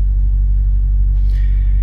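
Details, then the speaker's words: Audi RS5 after repair for EPC light, 6000 rpm warning and bank 2 exhaust camshaft slow-response fault (variable valve timing solenoid): deep, steady, even idle with no knocks or misses; engine runs smoothly. "Oh, now I can hear it, it works a little bit better. Maybe I had to wait for a minute. I guess till the oil goes through or something."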